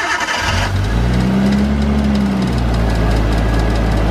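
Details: RB25DE Neo R34 Skyline started after intake manifold modification and a fix for a poorly sealing manifold joint: short crank, then it catches cleanly, flares briefly and settles into a steady, even idle; a healthy start.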